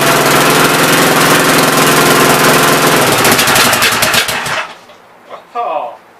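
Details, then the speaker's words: Engine on first start attempt, cylinder head fitted; fast sharp chuffing about four per second that runs then quits; intake valve leaking compression, not hanging open; owner plans to pull head and lap valves. "oh no boys intake valve seems like it's leaking pretty good um it's not hanging open up here"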